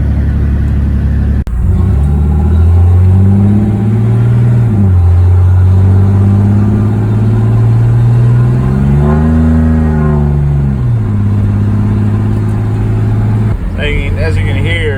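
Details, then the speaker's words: 1991 Chevy S10 with leaking automatic transmission, one bottle of stop-leak already added: revs climb and flare before each upshift, dragging slowly from second to third and reluctant to shift into overdrive, with frequent downshifts; transmission slipping. "he's having trouble shifting in the there you go shifting in the from second to third it's been a little iffy and then again it's they really don't want to shift it shift in the overdrive gear here"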